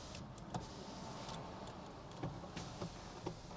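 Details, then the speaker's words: 1998 Mercedes S420 (W140), just bought: faint even window motor hum through full travel with no binding, clicks or grinding; power window motor working normally. "I don't know if it works or not. Listen to that. This window works. Yeah."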